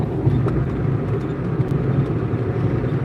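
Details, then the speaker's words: Stick-shift car cruising on a long drive after a mechanic fixed loose and damaged bolts that had caused a blender-with-metal noise. Low steady road drone with no grinding or rattles, only slight shock squeaks; running normally. "So here's Minnie. She's driving, and you can hear the car is pretty quiet. You can just hear a little bit of squeakies and whatever she's doing with her hands."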